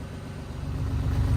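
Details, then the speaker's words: A ratty Porsche Boxster runs after a fuse is refitted. It has a low, uneven, lumpy idle that wanders as revs creep up, with drain pipes routed straight to the engine. The coil pack works and the rough running is not diagnosed. "I mean it's running sounds like ass but it is running so if you're wondering why it doesn't sound great that's because um these drain pipes here are basically straight to the engine"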